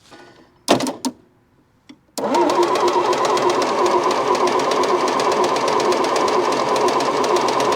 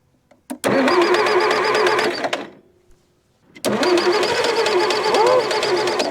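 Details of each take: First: Massey Ferguson MF711 hydrostatic skid loader, believed sat 20–25 years: steady fast cranking about three strokes a second with no firing while checking fuel pump output; no fuel reaching pump, owner suspects shot fuel pump or bent fuel line. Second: Massey Ferguson MF711 hydrostatic skid loader, sat non-running 20–25 years in a barn, choke pulled, throttle back, on a newly installed battery: cranks, catches, runs briefly, dies, restarts and keeps running; slight exhaust leak, puff of smoke, first run in decades.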